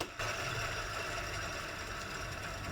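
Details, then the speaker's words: Land Rover Defender TD5 serpentine belt tensioner pulley spun by hand: a dry, rough whirring hiss with a faint ring, and it stops quickly. Grease is dried up; there is no play, but the bearing may be on its way out. "but if you listen this one done stops are quick giv an indication some of the grease is worn out Miss in dried up in that pulley"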